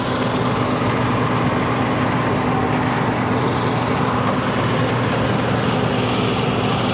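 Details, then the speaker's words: 2200 mesh screen plant during speed adjustment: a steady engine drone whose head is audibly slowing down. It is too slow after being turned down, and it should be around 1050. "slowing down now. Yeah. You can hear it slow down, couldn't you? Too slow, I think. Yeah, you want to be around 10.50."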